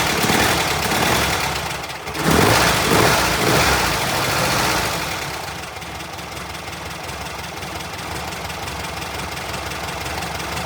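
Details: VW Brasília air-cooled engine after fuel pump replacement, distributor cap refitted: catches with a short rev, then settles into a steady, even idle with no misses or knocks; normal start and idle.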